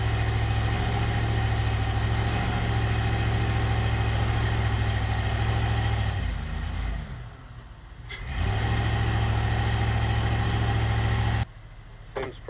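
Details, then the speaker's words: GM 5.3L LS-swapped Suburban after chasing its dead-cylinder miss, possibly a bad injector or coil connection: smooth, even idle, a short dip then steady, no misses heard, a few still registering on cylinder 6; O2 sensor now switching, running best ever. "i do know that we no longer have a miss and the things never actually ran this good"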